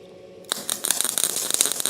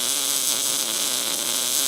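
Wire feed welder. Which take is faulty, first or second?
first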